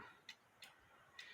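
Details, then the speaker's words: 1950s Poppo musical cuckoo clock: faint, uneven tick-tock with lopsided beats and weakening swing; the clock stops within about a minute of hanging the pendulum because of a bare, flat-worn spot on the V wire. "and that's because there's a bare spot on that bwire it stopped"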